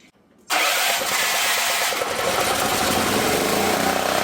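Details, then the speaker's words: Previously seized auction generator, restart after running under 1500 W load: after a brief quiet moment the engine catches at once and settles into a steady, even run. Normal, easy restart. "Completely seized up motor, and now it's running pretty dang good."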